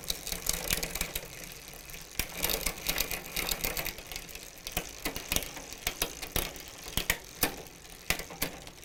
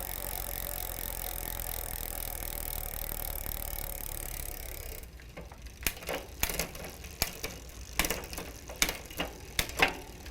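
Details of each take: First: Huffy bicycle with Shimano rear derailleur, before adjustment: irregular sharp clicks and ratcheting as the chain skips cogs or won't shift; low shift cable tension, fixed by turning the barrel adjuster counterclockwise. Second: Huffy bicycle with Shimano rear derailleur after cable tension adjustment: smooth chain whir then light irregular freewheel ticks, no grinding; clean engagement into seventh, highest gear, properly aligned.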